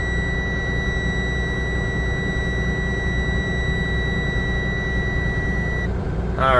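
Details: 2024 Freightliner S2C Grech GM40 bus, started after being run out of air: high steady buzz over the diesel idle for about six seconds, then cuts off cleanly; a warning buzzer stopping once its condition clears, not confirmed.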